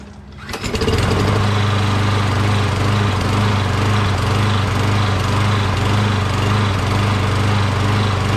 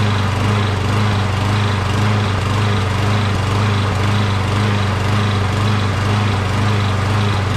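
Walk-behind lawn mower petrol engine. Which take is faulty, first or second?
second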